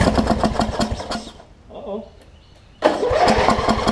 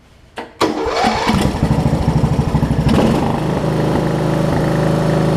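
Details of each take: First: Wizard (Craftsman) riding mower with a worn-out old carb and a hit-and-miss starter solenoid, after carb cleaner spray: starter churns at about four beats a second in two bursts, never catches; cranks, no start; suspected fouled plug or sheared flywheel key. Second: Wizard (Craftsman-type) riding mower after fitting a new carburetor replacing the worn-out old one: engine cranks briefly, catches in about a second, then settles into a steady, even idle with clean firing; starts and runs normally.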